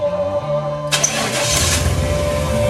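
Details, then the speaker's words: Truck engaged into four-wheel drive: harsh rushing grind cuts in over the engine and keeps growling; bearings checked good, transfer case blamed, as the driveshaft seemed to slip. "I want you guys to hear this sumbitch and see how bad it sounded when I kicked it in four-wheel drive. This is the sound."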